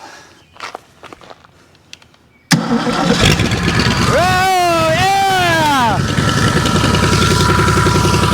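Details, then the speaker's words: 1984 Ford F-150 351 Windsor V8, sat about 23 years in storage, first start after revival: fires almost instantly without a full crank revolution, quick rev rises and settles into an even, steady idle; normal start and idle. "Woo! We did it. It didn't even crank over like a full revolution. That is awesome. Super excited. Listen to this old girl run."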